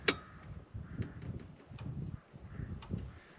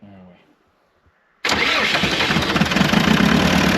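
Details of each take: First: Old diesel dumper, unused for years, key on, powered from a booster pack: sharp single clicks about a second apart over near silence as the fuel pump's electric stop solenoid snaps in and out when the booster is switched; normal solenoid click. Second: Old site dumper diesel started after sitting unused for years, on booster-pack power after injector work; it fires straight away into a loud, lumpy, uneven clatter that never smooths out, running on only two cylinders.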